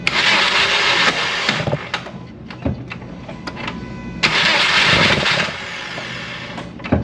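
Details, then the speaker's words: 2012 Subaru Outback that sat about three months unused, microphone in the engine bay: high free-spinning starter whir with no cranking. Buildup on the starter gear shaft is suspected. Starter pinion not engaging flywheel. "the starter itself is rotating but the it's not grabbing the engine and really cranking the motor itself"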